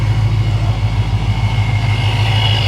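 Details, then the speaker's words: Procharged 2011 Ford Mustang GT SEMA build with Magnaflow exhaust, idling after sitting for weeks, after revving: deep steady rumble with a thin, constant supercharger whine above it, no knocks or rattles; normal. "that pro charger is just singing listen to her song"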